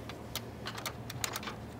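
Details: 2003 Chrysler Town and Country with intermittent heat-related no-start: faint hum under a quick, irregular run of sharp relay clicks, about a dozen in two seconds, as the faulty hot cam sensor drops out (P1389, P0320, P0622).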